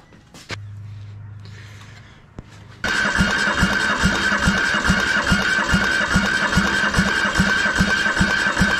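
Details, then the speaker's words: Military surplus diesel engine transplanted into a hydraulic trench compactor, after swapping the starter because the original would not engage the flywheel: steady starter drone with slow, even compression chuffs, cranking without firing while bleeding fuel through the pump. "so we're gonna go ahead and crank it over until we get some fuel coming out of here maybe"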